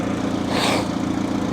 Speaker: hood struts need to replaced immediately little Ecotech turn like a kitten